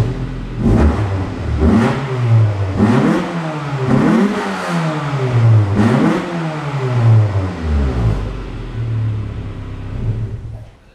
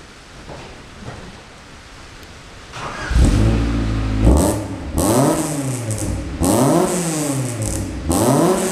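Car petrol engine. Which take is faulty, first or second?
first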